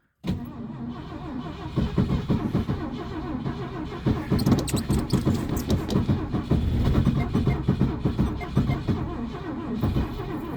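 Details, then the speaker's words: Classic Ford, carbureted, at about −30 degrees cold start. The starter grinds unevenly for about ten seconds without the engine catching. The ignition key is stuck in the start position due to the cold. "And actually, it's so cold that it actually got stuck in the ignition position, like turning the key on there."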